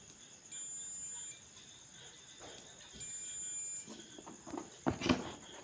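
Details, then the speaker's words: New multimeter unboxed, continuity test in buzzer mode with both probe leads connected together: two clean, steady high-pitched beeps under a second each, no warble or dropout; buzzer and multimeter working normally. "ரெண்டு நாப்லே எடுத்து 2 connection கொடுத்துட்டு நான் buzzer மோடில் வச்சு on பண்ணும்போது நல்லாவே sound வந்துச்சு, கேட்டிங்களா தெரியும்."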